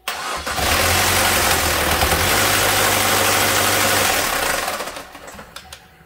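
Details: 2015 Chevy Trax 1.4 L turbo Ecotec (LUV), 40,172 km, oil pressure light on, code P0324: brief start with harsh clattery run and metallic top-end rattle; suspected catastrophic oil pump failure with no oil pressure.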